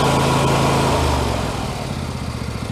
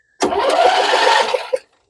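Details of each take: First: MTD Yard Machines 21hp 46-inch lawn tractor with a Briggs & Stratton V-twin, said to have a blown engine, test-run from as-is condition. It gives an even twin chug with no knocks and runs down smoothly at shutdown, so the internals sound fine. There is heavy exhaust oil smoke and oil residue on the valve cover; the owner suspects a valve cover leak. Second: MTD Yard Machines 21hp lawn tractor, Briggs & Stratton V-twin said to have a blown engine, PTO switch held: quick, even cranking over a second, no firing and no knock, spark plug boot jumping; crank no start from weak spark.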